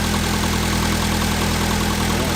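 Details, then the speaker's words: Toyota AE86 daily driver at idle after first start; steady even idle, smooth low exhaust note, exhaust not too loud not too quiet, no knocks or misses; normal idle. "I love this car what a machine okay yeah it's all the exhaust is not too loud not too quiet let's hear it it's perfect sounds good"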